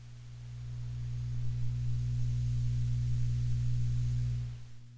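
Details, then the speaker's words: Amplifier hum: a steady low hum that swells slightly and then fades, still present in the background with the channel volume and tone controls down. The owner suspects a power-supply capacitor; the cause is unconfirmed. "see you can still hear that hum in the background"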